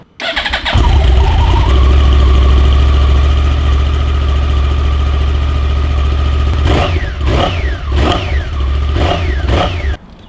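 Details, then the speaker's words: Yamaha R1 fitted with borrowed stock Big Bang R1 exhausts in place of Two Brothers pipes: quick start, then an even, muted idle with a few clean blips. Healthy running, very quiet through the stock exhaust. "It really makes you thankful for aftermarket exhaust. You probably can't hear it at all because it's so quiet"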